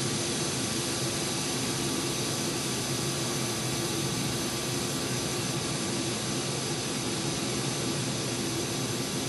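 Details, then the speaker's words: Goodman 2-ton AC at the evaporator metering point, compressor recently replaced and suspected overcharged and sludged, outdoor temperature about 85°F, liquid line slightly warm: constant loud refrigerant rushing hiss with faint tone that alternates louder and quieter; cause unclear. "Liquid line's just a little bit warm. Not much, but if you can hear that that the refrigerant gets louder and then quieter, louder then quieter. Right now, it's loud."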